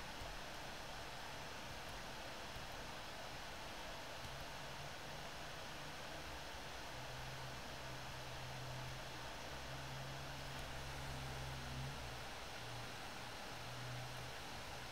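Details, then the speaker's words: One Netbook One Mix 2S Yoga 7-inch mini laptop, microphone positioned behind the user's head: steady airy whoosh with faint low hum, even throughout; normal fan running at high speed, usable but not silent. "so that is a general idea of what we're dealing with in terms of fan noise and CPU throttling it's definitely usable but it's not silent by any stretch of the imagination"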